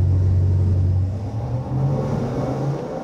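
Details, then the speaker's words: 1991 GMC Suburban with a 383 stroker small-block Chevy V8 making 490 hp and 492 lb-ft; deep even rumble rising and falling through free revs with no knocks or misses, healthy running. "the boys down in engine power whipped us up a 383 stroker small block chevy that makes 490 horsepower and 492 pound-feet of torque"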